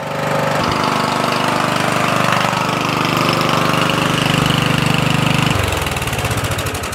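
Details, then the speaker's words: Murray 14.5hp 42-inch lawn tractor, single-cylinder, after the miswired ground from a solenoid replacement was fixed. Even steady beat, then clean wind-down at key shutoff; charging 13.7 V; starts easily now; normal running. "it shuts off that's great you notice I don't have any trouble starting it anymore"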